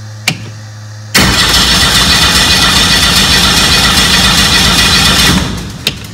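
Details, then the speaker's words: Aircraft engine cranked with its computer off so it won't start, powered by an EarthX lithium battery with two fuel pumps running. Brisk, even cranking at about four beats a second holds steady for four seconds without slowing, a normal cranking speed. "was the sound of the engine cranking with the earth ex battery and two fuel pumps running"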